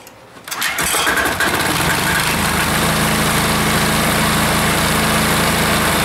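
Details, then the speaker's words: Air-cooled diesel engine just reassembled, first firing at full throttle: catches after a short crank, then a loud, slightly uneven rhythm around 3.5 beats a second; rough running, owner suspects it is starving for fuel. "okay still sounds like it's starving a little bit for fuel"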